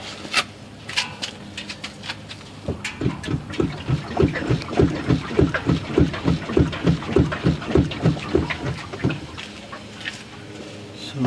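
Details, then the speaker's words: 1999 Ford Explorer 4.0L, parked, front end pushed up and down: dull rhythmic clunks about two a second; worn stabilizer (sway bar) link with visible gap, to be replaced. "usually that's the stabilizer link bar if you hear that you know clunking clunking sound when you push this car vertically"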